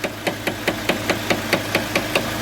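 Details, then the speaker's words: UAZ Patriot engine at idle, not fully warmed, oil pressure below 1: crisp, even ticking about five times a second as the hydraulic lifters clatter from low oil pressure, heard from start-up. "вот это может быть причина всех звуков вначале пуска вы слышали как тарахтят компенсаторы то есть у компенсатора четкий речник ритмичный звук компенсатор он четко теракты"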